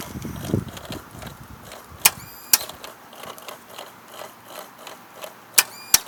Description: 2005 Kawasaki ZX6R 636 will not crank. Press the starter button and just CLICK.